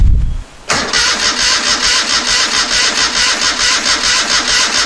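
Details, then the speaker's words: 1973 Moto Guzzi off the road 40 years, first start attempt in 25 years after tank coating and carb cleaning: starter cranks steadily at about one beat a second with even compression pulses. Compression and spark confirmed but it never catches; no fuel arriving suspected. "has spark we can verify that by turning the switch off we don't so i guess we suspect fuel we don't have fuel"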